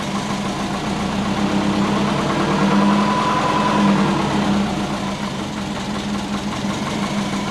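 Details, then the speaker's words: Big-turbo Subaru Forester idle, lumpy, hunting around 750 to 500 rpm, sagging and surging as if about to stall; idle control set to ignition-only with base ignition timing too retarded; rough idle from retarded ignition timing. "and it's lumpy, and it's like sitting around 750, 500. It sounds mean, it sounds like it's going to stall"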